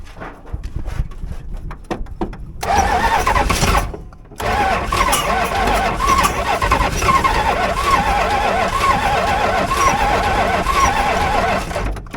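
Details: 1965 Barracuda with 273 V8, start attempt after carburetor work: starter whirs in long steady bursts at about four turns a second but never catches; cranks with no firing, more fuel tried, cause not confirmed.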